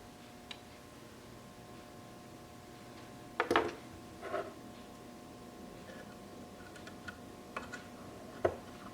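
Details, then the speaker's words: 1966 Triumph Spitfire MK2, aftermarket relay: a few sharp, irregular clicks as the terminal is shaken; loose relay terminal with lots of play making intermittent contact. "when I shake this terminal that's so stupid probably not making good contact here yeah look it's playing there's a lot of play"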